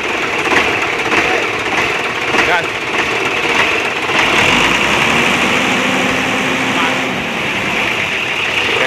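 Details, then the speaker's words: Hino Lohan diesel truck after replacing the engine mounting and straightening a folded throttle cable that held rpm high: revs under throttle, then drops straight back to idle when released; throttle return now normal. "jadi untuk gasnya sudah normal ya, kita gas ya, mau kita lepas gas dia langsung turun untuk gasnya."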